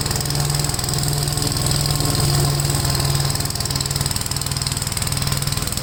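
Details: Gravely tractor with brush hog mulcher deck, PTO engaged after remounting deck and adjusting clutch: steady engine drone, even rapid beat, whirring blade, no shudder or uneven thumping; runs really smooth, no vibration. Normal running.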